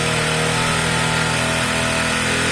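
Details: Zontes Tiger 125cc (Keeway RKV), carbureted single with a little petrol, just after its first start on choke: a steady, even buzz with no misses or knocks settling into a consistent idle, normal running.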